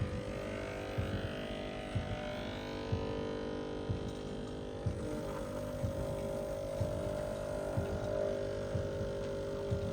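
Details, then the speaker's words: Breville Barista Express BES870SLQ, used 3–4 months, pulling a roughly 25-second programmed shot with good pressure on the gauge: steady low buzzing drone with faint rhythmic throb. Normal espresso pump operation. "that's looking good we've got good pressure the pressure gauge is not much of a variable it's just something to indicate that you have roughly the correct settings"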